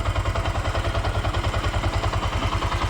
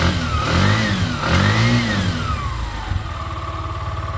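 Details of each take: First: Bajaj BS3 single-cylinder engine, rebuilt with a new rebored bore after the earlier overhaul failed and it drank oil; idle tuned and new air filter fitted. Even, steady low thumping at idle with no knocks or rattles, very silent; normal. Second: Bajaj BS3 vehicle, engine re-bored again, jump-started on a low battery and not yet tuned: revved up and down twice with a rough, raspy exhaust. The silencer seems to have given out, possibly broken internals (unconfirmed).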